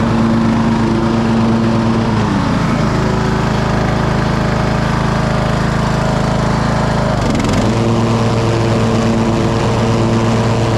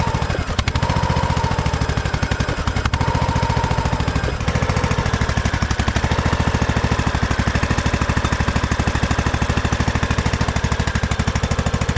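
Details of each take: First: 2008 Husqvarna LTH1538 lawn tractor, mower deck engaged: engine dips twice as the blades take load, then recovers smoothly with no grinding. The blades were not seized; they needed engaging twice, then spun and sound good. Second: 2008 Husqvarna LTH1538 lawn tractor, jump-started with a battery jump starter: steady single-cylinder thump, then abruptly cuts out. It sounded like it ran out of gas, and a seat or brake safety switch was also suspected; it had run out of gas, with the remaining fuel below the pickup.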